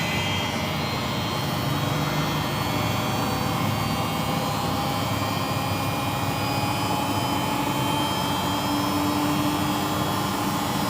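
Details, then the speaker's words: Single-tub washing machine after repairing the drum bearings; the tub spins with a steady, even whoosh and the earlier rough snoring grind is gone. Normal spin. "Nah sekarang bisa kita dengarkan untuk suara ngoroknya udah tidak ada"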